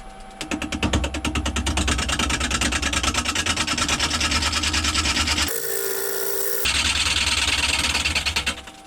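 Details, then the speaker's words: Wood lathe roughing a green log bowl blank mounted on a faceplate with a modified bowl gouge, about a quarter inch per pass; fast, uneven chattering rasp at about three hits a second as the gouge skips on the high spots of the still out-of-round blank. "I'm running about a quarter of an inch each time I go in there and it's starting to catch in different places now"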